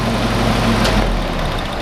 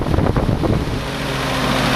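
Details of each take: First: Willys CJ2a L134 Go Devil engine after copper head gasket replacement, running about 25 minutes, slight oil burning: steady ticking-over with even low rumble, no shake or stumble, smooth at idle; normal running. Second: Willys CJ2a Jeep L134 Go Devil engine on test after Best copper head gasket, at somewhat higher speed, burning some oil, rebuild expected soon: slightly uneven run with light fast ticking over it; valve tapping, owner says typical of these old engines.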